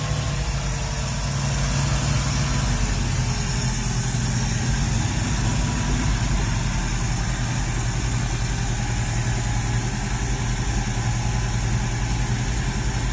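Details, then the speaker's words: Ford Ranchero 351 Cleveland V8, running after 20 years off the road: deep uneven lumpy rumble held on light throttle that won't settle to idle; blamed on a known vacuum leak. "let's steal my foot but that's vacuum leak too that's true but other than that it runs when it runs"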